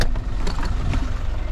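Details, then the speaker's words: VW Polo 1.4 TDI three-cylinder diesel idling after an upgrade to 1.9 injectors: a steady even chug with light clatter and no misses, sounding very good. "Trei cilindri, vă dați seama. S-aude super frumos, să știți."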